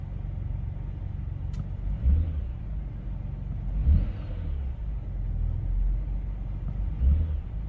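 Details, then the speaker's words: BMW X5 E70 after replacing both VANOS solenoids to cure rough idle and drivetrain malfunction warning, first start before clearing codes: deep even idle with three clean throttle blips, no stumble; now running smooth. "oh yeah it's running smooth guys"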